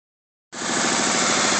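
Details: 3.2-liter V6 Mustang just back from the shop with new heads, loud idle with a quick regular knock from startup; owner suspects a spun bearing, possibly needing a new block, not confirmed.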